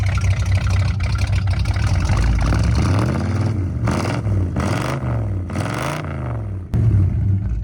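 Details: 1979 Ford Fairmont two-door police car, just revived after a carb clean-out: a rumbling idle, then three quick throttle blips that rise and fall cleanly without misses or knocks; it sounds mean, one side smokes.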